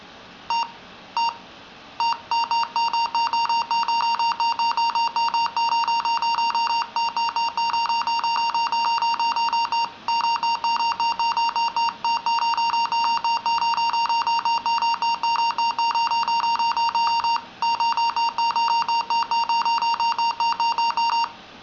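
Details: A 2-year-old Dell N5050 laptop suddenly gives a long run of rapid, mid-pitched beeps, broken only by brief pauses; it works fine once the beeping stops.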